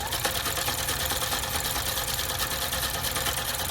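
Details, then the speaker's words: Juki F-600 sewing machine after repair (needle bar set too high corrected, broken gear replaced, timing resynchronized), testing wide 7.5 stitch: quick, even stitching clatter at steady pace, no knocks, binding or grinding; running smoothly. "Let me make a wider stitch, because I gotta make sure the wider stitch is working."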